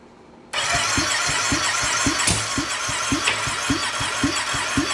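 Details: 2020 Can-Am Outlander 570 crank-no-start, after new piston rings and gaskets; fires right up and settles into steady, even idle, no knocks or misses: normal start and idle.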